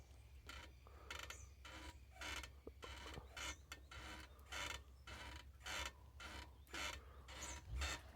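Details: Honda CG 99 motorcycle, engine off, being rocked; dry rasping creaks in bursts about once per second, new since the previous day, owner suspects damage from jumps; suspension creak under load, cause unconfirmed.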